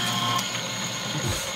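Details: Refurbished industrial shredder with repaired plastic gears, induction-motor driven, shredding a thick-edged plastic piece fed vertically: quick ratcheting clicks and gear chatter biting through cleanly, no stalling or slipping; normal shredding.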